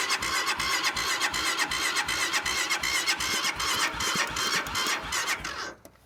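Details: Cold start attempt: starter cranks in a steady rhythm, roughly three beats a second, with no firing before it stops; engine cranks but won't start.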